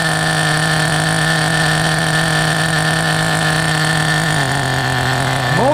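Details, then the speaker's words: 1994 Team Associated RC10GT with OS 15 CV-X nitro engine, first start after about 20 years of storage, running rich: high steady idle buzz, then pitch drops and settles lower as the idle is turned down. "It's still rolling forward, but that's no big deal. I like it. You're gonna see the smoke there a little bit. Actually, let's lower the idle a little more."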